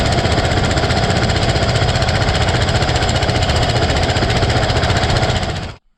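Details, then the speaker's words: Cub Cadet mower with a single-cylinder big-bore engine running at steady speed: a loud, heavy thumping pound as the cracked block visibly flexes open and closed. The motor is scrap and not fixable. "I kind of want to start it up so you can actually see the force that's being put on this block, and it's literally separating these two pieces of metal."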